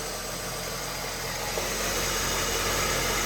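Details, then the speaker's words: 2012 Honda Civic with new belt, alternator and voltage sensor, warming up before Liqui Moly engine flush: steady even idle with smooth low hum and hissy top end, no knocks, ticks or misses; normal healthy idle. "But if you listen, it sounds pretty good. It's got a new belt and new alternator, and it's got a new sensor there, voltage sensor. So it sounds good."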